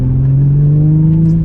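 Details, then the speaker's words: Tuned Audi S4 with upgraded injectors, after reseating connections and adding hose clamps, idle vacuum fine: steady revs with a choppy, wavering stutter at partial throttle around 3,000 rpm and diverter valves audible; misfire, cause unknown. "Okay, we are misfiring hard under partial throttle. You can definitely hear the diverter valves now, which is cool because you couldn't before."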